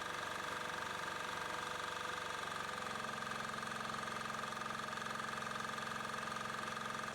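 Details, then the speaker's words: Chinese 186FA single-cylinder diesel generator (Yanmar L100 copy), bought non-working, being converted to run on frying/vegetable oil: steady, even beat with constant pitch, no hunting or surging; governor holding speed, adding fuel as load increases. "Ce régulateur stabilise très bien la vitesse du moteur comme vous pouvez voir. Donc si on tire plus de courant, il va compenser en injectant plus de carburant."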